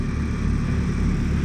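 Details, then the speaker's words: Carrier heat pump in heat mode, outdoor unit heavily frosted with four thick bands of ice, shaking hard: constant heavy low rumble with an uneven pulsing shudder; unit shaking badly while frosted. "here we have this very Frozen and rily shaking Carrier heat pump uh running in heat mode very Frozen and Ry look at this it's four bands of frost thick bands Frost and look how shaky this is not good"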